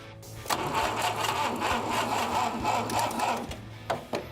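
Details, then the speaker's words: Abandoned 1960 Mercedes-Benz 190B after fuel injected into the carburetor: starter spins the engine steadily, about four chugs a second, for several seconds but it never catches and fires; crank, no start. "They injected fuel into the carburetor and cleaned up a few things and then it was time to crank it up again."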